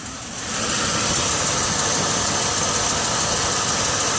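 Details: 2006 Chevy Uplander wheelchair-accessible van, 175k miles: a steady, even idle with lots of airy hiss and no knocks, misses or surges, and no visible leaks. Normal, healthy idle.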